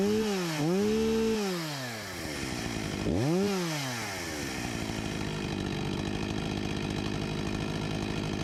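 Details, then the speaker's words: Husqvarna 254 G two-stroke chainsaw after carburetor refurbishment and new fuel line, idle about 3000 rpm, 13,000+ rpm unloaded: revs sharply twice and falls back to a steady, even idle with no stumbling; running properly. "Sounds like a good speed right about here 13.000+ RPM with no load"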